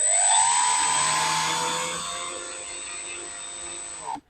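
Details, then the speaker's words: RC sailplane preflight motor run-up, checking prop balance and brake: steady high electric whine fading smoothly to a stop, no vibration, smooth as silk; motor sounds good. "That sounded great. Motor sounded good. No vibration whatsoever, just smooth as silk."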